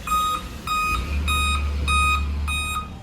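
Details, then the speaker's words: Dell/HP laptop at power-on with no display: five sharp, evenly spaced beeps. "तो laptop on करते हैं तो इसमें जो है कि 5 बार बीप करता है।"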